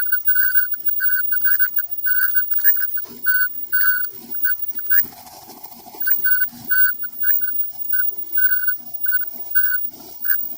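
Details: Front-load dryer running: a high, light squeak chirps about twice a second in time with the turning drum. The front sliders are also worn and the belt seems fine. Worn drum roller.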